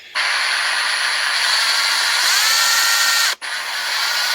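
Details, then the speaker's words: Ryobi brushless Sawzall after teardown and regreasing the drive, previously not working, possibly from moisture held by the rubber cover: smooth steady high buzz at even speed, clean instant stop on release; quieter, works better than new. "This works better than when I got it brand new. I bet you they just didn't lube it good enough in the factory. It's quieter."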